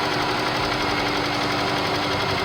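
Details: Engine damaged by a wrongful oil change, oil light now off but engine noisy: steady, busy mechanical clatter with a constant hum and no clean idle, possibly bearing knock, cause uncertain; engine knocking noise.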